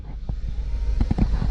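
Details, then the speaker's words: 2011 Volkswagen CC: low idle putter with uneven, irregular thumps after the check-engine light came on while driving; misfire code P0304, cylinder 4 (possible oil leak there), traced to a failed ignition coil. "Now, as I was driving over here, check engine line randomly came on and started puttering."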